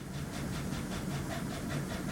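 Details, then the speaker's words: GM Chevy V8 with AFM/DOD (Tahoe/Silverado), idling: fast steady ticking about eight clicks a second worsens when the scan tool activates cylinder 4, a collapsed lifter under the VLOM; no misfire felt. "Ooh, that got way worse. And it dropped down, didn't it?"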